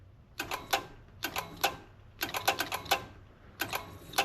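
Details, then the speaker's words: Wrecked 5.0 V8 Mustang bought as a non-runner, power wired directly to the starter solenoid: bunches of two to four sharp clicks with no cranking; starter clicks but won't turn; owner suspects a failed starter, not confirmed. "I think the starter took a crap. I think that's what our issue is."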